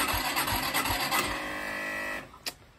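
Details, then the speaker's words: Orcal Astor motorcycle, unused for a while, during a search for an electrical fault: the electric starter whirs for about two seconds and the engine doesn't catch. Hard starting, cause unconfirmed. "Bon, bah, comme vous l'entendez, elle tourne. J'ai utilisé le kit plusieurs fois, le démarreur électrique plusieurs fois."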